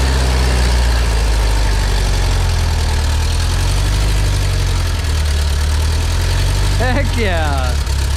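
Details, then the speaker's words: 1977 bus with automatic transmission, first moving under own power after 30 years, valve covers just refitted: smooth steady engine note held noticeably fast, idle set high as if throttle cracked; carburetor likely needs adjusting. "I do have the idle set a little high so yeah it runs um I think the carb needs some adjusting"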